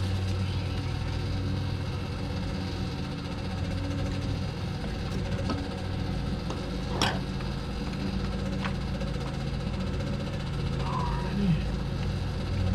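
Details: 1971 Dodge Coronet station wagon engine idling after 31 years stored in a field: a low, uneven idle with a faint irregular knock in the beat. It runs but rough after long storage; owners think new plugs are needed.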